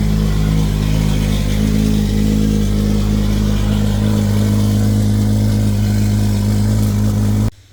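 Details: Toyota 2JZ VVTi JZ swap's very first start after ECU calibration and timing set (trigger setup issue noted): engine runs strong and steady with a firm low drone and a little throttle, firing evenly until shut off; normal running.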